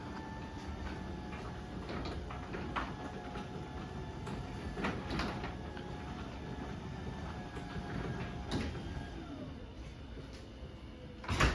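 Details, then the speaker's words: LiftMaster 8550 garage door opener, unchanged door, one cycle; soft even motor hum with only light rail clicks as door travels; extremely quiet, normal opener cycle. "Obviously, this one is still extremely quiet. We'll run this back up."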